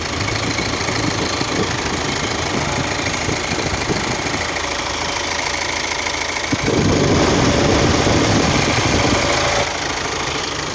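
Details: 2013 Hyundai Santa Fe CRDi diesel with hard starting, after replacing leaking return-line O-ring: steady clatter at idle with an even beat and a brief rise in revs midway, running smooth, leak gone; normal idle.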